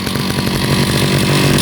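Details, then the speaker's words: Husqvarna 541RS two-stroke brushcutter, made 2019 in China, nearly new with only one tank of fuel run: steady crisp burble at even speed, no misses, surges or rattles, engine sounds solid; normal idle. "Các bạn thấy nhá, tiếng máy ganti còn vẫn rất là chắc này."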